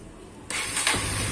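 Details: Honda CBR CB150R fuel-injected motorcycle after replacing the ignition coil with a Vario 125 coil (previously died on throttle, stumbled at low revs, erratic idle): starts cleanly at half a second and picks up revs without faltering; now runs normally.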